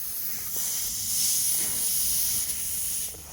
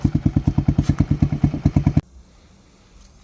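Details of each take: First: Grom-clone 125cc-class mini motorcycle, engine off in the garage after a ride: steady sharp hiss as air escapes a punctured tyre that is beyond repair and needs replacing. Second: Honda Grom clone, cold start with new CDI and ignition coil, warming up: steady single-cylinder thumping at about three beats a second, even and clean before it stops; normal idle.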